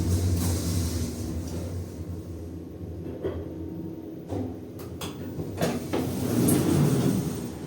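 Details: 2011 Schindler 5300 lift, descending: low rumble broken by irregular thumps and knocks with no steady rhythm, unusual for this normally smooth lift. Abnormal noise during descent, cause unclear.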